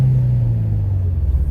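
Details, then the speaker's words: Infiniti G35 coupe with urethane transmission mount installed, revved from inside the cabin, running test pipes: deep booming drone sagging in pitch as revs fall, vibration felt and heard, louder than the stock mount. "So you can definitely feel that vibration and hear it."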